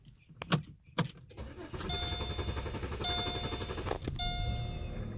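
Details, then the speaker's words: 2009 Pontiac G6 GT with auto crank: starter cranks steadily for several seconds without firing, sometimes not starting at all; presented as the main symptom of a faulty fuel pump, which was then replaced. "the the the cars is continuing to run and run and run and run and run or crank I mean just continuing to crank that before it fires sometimes it won't even start"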